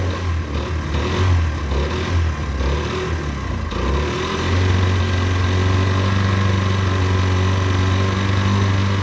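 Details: Derbi 125 single, a former non-runner, after a carb service and fuel tank clean: the thump settles into a steady, even beat of about four pulses a second after the start, with clean revs and no misfire; it runs lovely.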